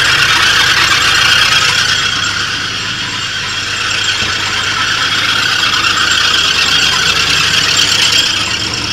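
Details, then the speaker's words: 1983 Oldsmobile Delta 88 Royale, starting immediately: a constant high-pitched squeal with faint chirping over a quiet idle. The alternator is suspected; spraying didn't stop the noise. "well it starts up immediately now and at least idle sounds like it might be the alternator kind of problem"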